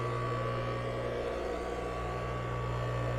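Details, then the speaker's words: Husky Pro air compressor (bought 2007) replacement electric motor run on bench unloaded, belt off, mount not tightened: smooth steady hum, no excessive noise or vibration, not getting hot, rotating counterclockwise; normal motor run. "No excessive noise or vibration. I don't even have the mount tight because I haven't put the belt on yet."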